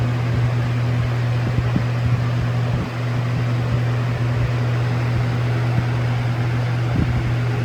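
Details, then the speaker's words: Lasko Air Flex box fan with full-sized Macmillan motor and Weather Shield blade set, running on high: loud steady low hum, constant airy rush, faint rattly vibration; normal running, motor known for vibration and humming. "This fan just likes to bolt backwards on high speed. It's probably gonna vibrate a lot too, because this motor makes a lot of vibrations and humming sounds."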